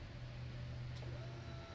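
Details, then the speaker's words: Abandoned Triumph 955cc go-kart, key on, engine off, before first crank; quiet steady electric hum for a couple of seconds, relay clicking heard. Normal fuel pump prime. "yep that's the fuel pump sweet"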